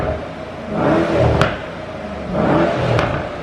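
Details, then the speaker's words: Mercedes E63S AMG (603hp) heard from under the car after an exhaust leak was fixed by retightening the joints: two clean revs with a deep, even roar and no hiss or puffing between blips; the exhaust is sealed and normal. "Oh my God, that's loud under here. All right, wait, do it again. Wow, that sounds awesome."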